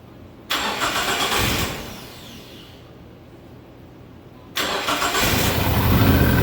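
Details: SRT-4 engine in a drift truck, first test start dry: cranks, catches, stumbles and dies (PCM fuse blew), restarts into a lumpy uneven idle with smoke; rough running as idle air control, TPS, intake air temp and O2 sensors are unplugged.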